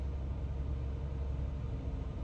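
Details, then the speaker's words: Jeep with a manual, just after replacing a part to fix a misfire and check engine light, warming up before a test drive: low steady rumble with an even beat, no stumbles or skips; a smooth, normal idle. "time to let her warm up for a little bit couple seconds hit the road figure out if the misfire's gone"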